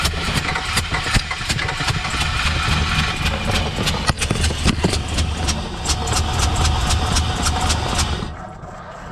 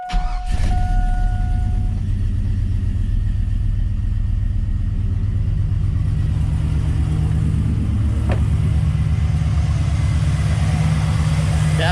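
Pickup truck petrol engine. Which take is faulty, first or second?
first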